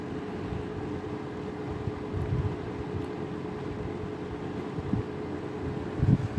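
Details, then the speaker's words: Vintage 1983-1984 Sears 453-812100 20-inch Lasko-made fan on low speed: steady, quiet hum with a faint, constant motor whine and no rattles or ticking. Quiet enough to sleep to; a normal, healthy fan. "Low speed's got the most motor whine. Yeah, it's pretty quiet other than the whine. Which honestly, I kind of like the motor whine. I could fall asleep to this."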